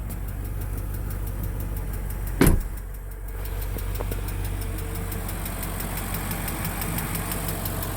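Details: 2003 Range Rover HSE, 4.4L BMW M62TUB44 V8, possibly slightly low on oil: light quick steady tick through smooth idle, unchanged; cause unknown, sound later went away on its own.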